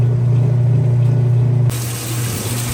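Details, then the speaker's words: Repaired Roper top-load washer during full-cycle test: steady low pump hum, then smooth shift into spin with no grinding or knocking; everything working flawlessly, normal drain and spin. "right guys this was this thing everything is working flawlessly right now no issues it it'll clean the heck out of your clothes"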